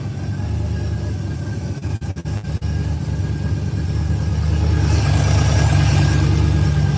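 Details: 1968 Pontiac LeMans, cold start after cycling the fuel pump: deep, even rumble settling into a steady idle with slight rise near the end, no knocks or misses; normal idle.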